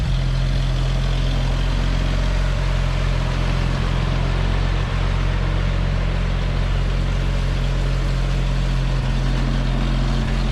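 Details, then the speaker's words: CCKW truck engine after choke start: deep steady low idle holding one even note, no miss or hunting; no exhaust leak heard anymore, sounds healthy. "Sounds good. I don't hear an exhaust leak anywhere. out here like it was."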